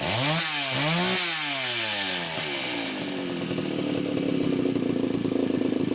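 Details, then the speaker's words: Super XL-925 chainsaw, final bench test run after repair: winds up through a few clean revs, then settles into a steady, even buzz with a smooth rhythm; normal running. "everybody cheats all parts repair that should be the final test run for Mark's Super Excel 925"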